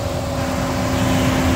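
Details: Furnace/AC blower motor, installed months earlier, running on high speed wire for AC, noisy since a power outage, capacitor 5.83 within range; constant high hum steady over the airflow rush, failing blower motor, fixed only by replacing it.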